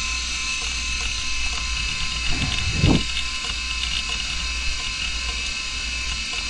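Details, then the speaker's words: Hard disk not detected: constant high electric buzz with one short scraping surge and no normal seek ticks; the read/write head moves onto the platter, sticks there and cannot return, causing the sound. "যদি এই রকম sound হয় তাহলে বুঝতে হবে যে ঘড়ির কাঁটার মতো অংশটা ডিস্কের ওপরে আসছে, কিন্তু ডিস্কের ওপরে এসে আটকে যাচ্ছে, ও আর ব্যাকে যেতে পারছে না, মানে ডিস্ক থেকে নিচে যেতে পারছে না, তাই এই আওয়াজটা হচ্ছে।"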